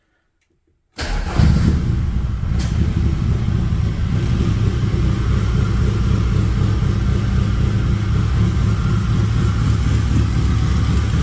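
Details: Metro Turbo project, first start after rewiring: fuel and spark are present, but it settles into a lumpy, stumbling idle and misfires badly. Owner suspects wrong timing or a coil wired backwards (cylinders 1/4 swapped with 2/3); this is unconfirmed.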